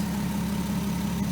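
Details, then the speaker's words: 2003 VW Eurovan VR6 after timing chain, guide and gear replacement: smooth, even idle with steady low drone, no tapping from the front; previous tap-tap chain noise gone. "i mean that tap tap tap tap tap chain noise racket gone"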